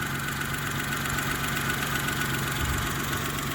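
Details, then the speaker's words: 2012 Daewoo Matiz three-cylinder engine idling: steady, even idle with a smooth low hum and no stumble or skipped beats; it runs clean with no misfire. "Ану послухайте не троїть та Як може трьохциліндровий мотор троїти"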